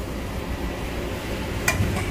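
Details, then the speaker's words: 2021 Ford Explorer, 22,000 miles, shifted into reverse holding the brake at idle: one sharp metallic tick from the rear, located behind the hub where the rear CV axle enters the bearing; dry, loose axle-to-hub splines. "it's happening right here behind this this hub where the cv axle goes into the bearing"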